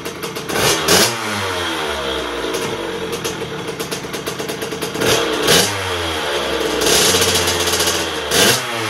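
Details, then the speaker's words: 2001 KTM 50SX two-stroke after carb upgrade, cold and not yet warmed up: blubbers and sputters between uneven rev bursts instead of revving crisply; running rich. "it's got a little sputter to it but it's not warm yet so it's going to be a little Rich"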